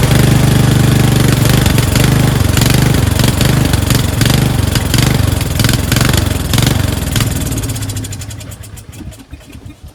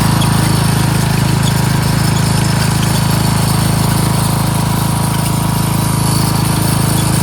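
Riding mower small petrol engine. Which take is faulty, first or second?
first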